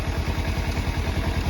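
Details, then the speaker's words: 2017 Kawasaki Versys-X 300 with a starter switch fault (clicked but wouldn't start), started by bridging contacts at the solenoid: starts straight away into an even, steady idle with quick regular low pulses, no knocks; normal idle. "Good Start straight away that's a good clean start contact because I've used I went into it"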